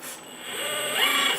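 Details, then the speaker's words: RC4WD Earth Digger 360L 1/14 RC hydraulic excavator: oil pump, mixed to switch on when the boom channel moves, kicks in after a slight delay with a thin raspy whir swelling as the boom moves; starting normally. "can see you can hear the pump come on. Now there is a little delay, but I don't have to leave the pump on all the time."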